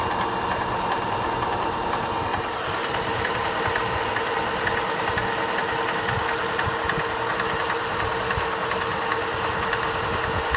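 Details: Opel Astra H cold start: faint, loosely regular tapping under a steady engine hum at idle, about forty-odd light knocks a minute; engine knock when cold, cause unclear.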